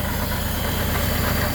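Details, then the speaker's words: 1974 Honda Civic Series 1 (Mk1) with its old spark plugs in: an uneven, lumpy idle with a stumbling beat. A cylinder is misfiring, and new plugs are to be tried first. "we're gonna try spark plugs first, and then see how it runs, because as you heard, it's been missing. I'll just quickly show it to you right now. It's been misfiring."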